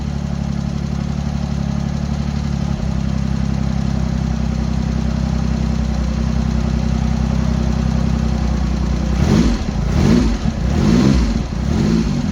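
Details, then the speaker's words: Triumph Hurricane X75 triple after reinstalling rebuilt carb rack, throttle stop not yet set: low, even idle with steady beat from all three cylinders, a few throttle blips, no misses; normal idle, stalls at end. "Right, there you go. Sounded good to me. Really nice and smooth across all the cylinders."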